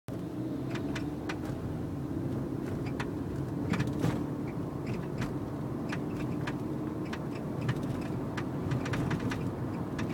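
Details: Nissan Note driving on the road: sharp, irregular clunks and knocks over steady road rumble from the suspension.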